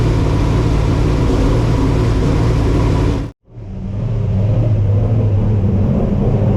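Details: Race car V8 back from a rebuild, first start for the 2024 season in a cold garage with a heater running: deep, strong, even rumble at a slightly high idle; runs well, with a possible slight exhaust rattle.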